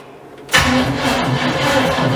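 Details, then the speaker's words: GMC hot rod in park, distributor just reinstalled at top dead center, first crank attempt on a battery the owner believes is no good: the starter drags the engine round in slow, labored pulses, about two or three a second, and it never fires; weak battery. "oh you already hear that battery dead it cranks over"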